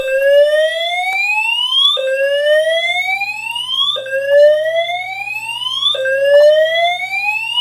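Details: Simplex 4010 fire alarm panel multi-tone horns after smoke detector tripped by smoke test: loud tone sweeps upward for two seconds, drops back, repeats steadily; fire alarm horn sounding.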